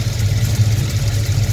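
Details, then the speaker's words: V8 idling on a freshly sonic-cleaned, rebuilt carburetor, timing at 12° with 24° in the distributor (about 36° total): deep, steady, even rumble with no misses or knocks and no leaks; normal idle. "uh after hitting it. So yeah, it seems to be running idling good. I ain't having no leaks."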